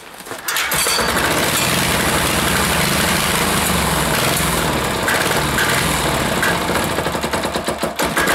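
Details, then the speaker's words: Air-cooled diesel of roughly five horsepower, primed and hand-started from the compression stroke; loud, rapid knocking with a wandering, surging beat as it hunts for a steady speed. Owner thinks an adjustment is slightly off. Unsteady running. "ah can't find that happy little medium there sounds pretty good a lost it again"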